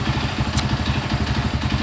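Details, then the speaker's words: Honda CB100 single after ignition timing and magneto correction, previously wouldn't start; slow, loping idle with slightly uneven beats that almost stumble; low idle, carburetor needs adjusting. "stabil Ia memang karbunya memang harus disetting lagi biar lebih sempurna lagi ya stasionernya"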